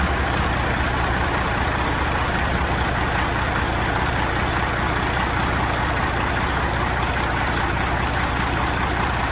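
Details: Non-running Peterbilt 379 project truck diesel, first start: idles unevenly with a slightly choppy beat and faint whine over the clatter; owner suspects a little air in the system, unconfirmed.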